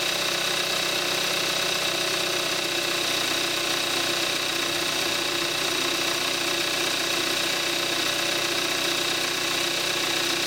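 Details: 2014 Kia Forte5 2.0 GDI, 41,000 miles, synthetic Amsoil 5W-30, cold start in May 2017, recorded on the camcorder's built-in mic: steady cold idle with fast, even ticking over a bright, hissy note; ordinary direct-injection injector tick.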